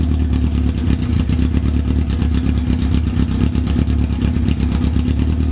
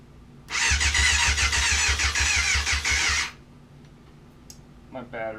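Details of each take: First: 1994 Yamaha FZR600 four-cylinder that sat for 15+ years, running with no choke after revs were hanging when revved: even, steady idle with a crisp exhaust pulse and no stumbles or misses; idles cleanly. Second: 1994 Yamaha FZR600 that sat 15+ years, after replacing a blown main fuse: the starter drags the engine through in slow, uneven pulses for about three seconds and never catches. The battery is too flat and was charged for a few hours afterward.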